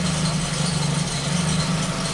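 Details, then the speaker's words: Ford Focus after sensor replacement, misfire less frequent but still present: low, lumpy idle whose even beat keeps faltering with a slight stumble; misfire at idle, second problem suspected. "there's a misfire here let's see what happens here nope it's not uh well again we have to drive it it's not as frequent as it used to be but it's still there still does it there you go right there"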